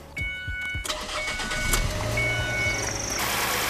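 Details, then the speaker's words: Ford Escape 2.3 Duratec after a used cylinder head install, restarted after cooling down and topping off fluids: brief cranking, clean catch, then a smooth, even idle with no knocks or misses; normal start. "Man, she sounds alright, man. She sounds pretty good to me."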